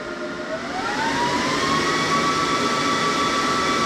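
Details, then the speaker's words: Oneida benchtop dust collector turned up from the low setting: steady airy whoosh with a whine climbing to higher pitch then holding even, still quieter than expected; normal running. "I mean, it's not that loud. I would expect it to be a lot louder."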